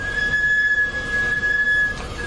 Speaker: ¿Qué es esto? Es una falla de la pastilla de freno. Suena así.